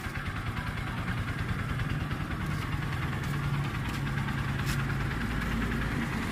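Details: Nearly new Honda TMX Supremo 150 with a diaphragm-type carburetor, brought in for being noisy, idles with a steady, even single-cylinder putter and no top-end ticking; the valvetrain sounds quiet and healthy.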